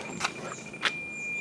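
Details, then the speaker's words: President McKinley CB radio with an adjustable-tip Firestik antenna on an FJ Cruiser: after a couple of clicks, a clean, steady high tone with no beeping, showing the automated SWR meter reads correct after antenna adjustment. "listen to see if the tone was solid like you hear there if it wasn't I made another adjustment and then once I got it to a strong solid to"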